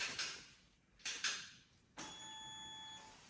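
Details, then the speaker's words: 2023 KTM 125/250/300 SX two-stroke power valve reset on the green map, red wake-up connector plugged in, held at half throttle for 10 seconds then released: short servo buzzes and clicks in bursts, then a steady high whine about a second; normal calibration. "Gonna hear the same process again, a little bzzz, and then some noises after 10 seconds when I let this thing go."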